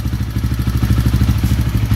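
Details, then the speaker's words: Kawasaki KLX 150 single-cylinder idling with dry rhythmic clatter on each firing pulse that goes quiet when the clutch lever is pulled; noise is from the clutch, not the engine. "Ipapaliwanag ko sa inyo mamaya kung bakit umiingay itong yung clutch ay maingay rito Hindi po sa makina yan sa clutch lang po yan"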